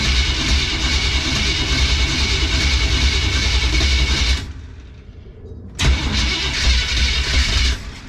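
V8 fires and runs rough and lumpy with uneven pulses, cuts out briefly, then restarts; timing set far too advanced.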